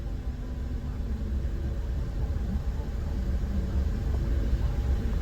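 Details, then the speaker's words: Suzuki Jimny after fitting a second-hand throttle body with idle air control valve and fuel-trim relearn, fixing erratic 500–600 rpm idle: low, even rumble, no hunting or surging; 675 rpm with aircon off, 823 rpm on; normal idle. "So now the Suzuki idles the way it should at 675 RPM with the aircon off, and as soon as you switch it on, it goes up to 823, exactly what you expect."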